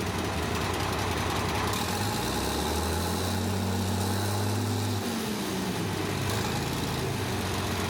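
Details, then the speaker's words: Caterpillar 977H loader, D333 diesel, after cracked head repair and reassembly, some air still in the system; uneven airy idle settles into steady low rumble with droning tone that dips and smooths out. "a little air in it yet. I'm just going to smooth it out. That sounds better."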